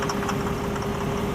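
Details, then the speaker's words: 2004 Nissan Murano 3.5L setting P0340 cam position sensor and purge codes, stalling: uneven wavering lumpy idle that almost dies; rough idle, two suspected problems, cam sensor awaiting replacement, cause not confirmed. "I have two different problems here. So we'll have to check this out again once we get a cam sensor. See how it almost died."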